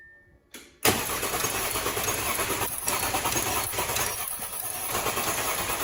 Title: Part 1 Audi A6 3 0T 2012 Engine Cranks but Won't start